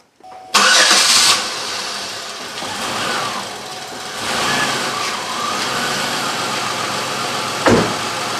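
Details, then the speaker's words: 2003 Chevrolet Impala 3.4L with intermittent high idle (up to about 2000 rpm), after cleaning carbon from the idle air control valve pintle and spring: sharp start then steady idle, level without surging or climbing; idle sounds normal. "not raising right now sounds good right now"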